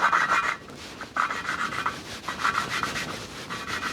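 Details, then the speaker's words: Kawasaki ZX9R cylinder head valve lapping with coarse paste: gritty back-and-forth scraping, about two strokes a second, while valve and seat are not yet mated. The tone later changes to smooth once they seat. "Start lapping. And as you're doing this, you'll you'll hear a change in tone as you're doing it. So, it's quite you can hear the grinding going on now."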